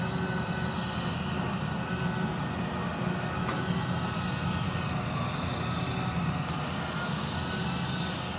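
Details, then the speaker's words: Unit on a service call: loud steady low roar with faint whine on top, no rhythm; sounds wrong, already failed, pressure switch suspected. "Not gonna be able to show you guys, but you can hear it. This thing's already failed."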